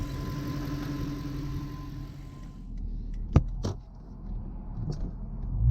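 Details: Lexus LS400 with a Toyota 1UZ-FE V8 running for the first time after being refitted into the body; a low, even V8 burble holds steady, then settles quieter with a few sharp clicks from handling. No misfire or knock, a normal idle.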